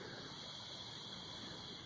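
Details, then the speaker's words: R22 system at 0 PSI pressurised with nitrogen gives a steady, high airy hiss from a burnt, leaking brazed joint on the rusted-out evaporator coil; refrigerant leak at coil brazing, new evaporator coil needed. "there's some burning up brazing right there bud good grief you can hear"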